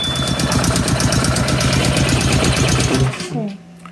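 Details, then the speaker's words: Honda GX160 on Grip-Rite wheelbarrow compressor, fully serviced (carb, filter, fuel, new plug): chugs unevenly at low rpm, won't throttle up, then dies; weak spark. "you guys can hear that the engine only wants to run at low RPM. That was on choke. I took the choke off. The engine just won't throttle up."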